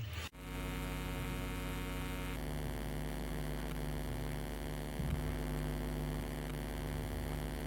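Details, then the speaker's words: Newly bought clip-on condenser mic: constant low electrical drone with a buzzy edge, unchanged throughout; hum only with this mic, splitter and connector tested fine with another mic, identical second unit quiet. "jadi cuma pakai mic ini aja yang dengung atau ada noise ngung gitu nanti saya akan coba berikan contohnya dengungnya"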